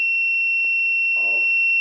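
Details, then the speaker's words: Wireless gas leakage transmitter/receiver with MQ-series gas sensor, detecting fuel vapour; steady unbroken high-pitched buzz with no pulsing, gas leak alarm sounding. "so you can see it's sounding because we are taking enough volume"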